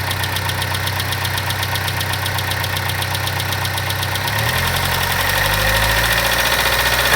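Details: 2012 Chevrolet Sonic 1.4T at about 80k miles, idling: steady, fairly loud tick about four times a second. Owner suspected lifters, clogged injectors or purge valve; noise faded after injector cleaner and purge valve replacement. Ticking at idle.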